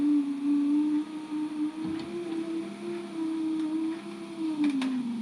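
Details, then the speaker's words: 2004 VW T5 Combi passenger-side electric window after a temporary reassembly, before a proper repair kit is fitted: a low, strained motor hum that drifts slightly in pitch and runs a long time while the window travels very slowly. The window was slow and noisy before. "but we are back together it goes up and down very very slowly but that is enough for now cuz that means I can put it outside and not get water in it"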